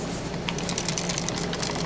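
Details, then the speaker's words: Burnt-out Harbor Freight 6/12 V 2/4/6 A battery charger, about six months old, which sparked and smoked after its button stuck: shaken, irregular light clicks as loose pieces skitter inside; broken parts rattling. "I got this pretty cheap with it was like 15 bucks at Harbor Freight and you can hear there's something"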